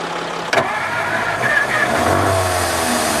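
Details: 1954 Ford Crestline Skyliner, first start attempt, radiator found dry: starter whirs then kicks out with a clunk; engine fires briefly and sputters but won't keep running; old starter suspected, carburetor rebuild thought needed.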